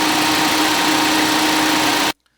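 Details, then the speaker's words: Ford Fiesta after its first oil change: oil light off, so oil pressure is present; steady, even idle hum with a constant mid tone, no knocks or ticks, engine sounds healthy. "Oil light is off, so we have oil pressure. Sounds good."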